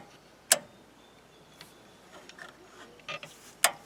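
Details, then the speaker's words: Front winch on a wrecker, solenoid pack cover removed, controller plugged in: a few sharp isolated clicks with no motor hum; solenoid clicks but winch motor doesn't turn, suspected failure in one of two solenoids. "that's the solenoid for the power in clicking but the wiench motor doesn't move but it does power out that probably means we have a failure in one of the solenoids"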